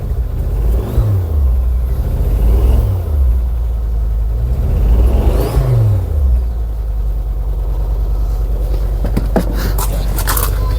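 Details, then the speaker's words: 2006 Ford Focus ST225, first start in over a year: uneven lumpy engine note with revs surging and sagging; running rough, owner says it sounds like a water pump, head to come off for investigation; cause unconfirmed. "it is not running happy at all sounds like a bloody water pump"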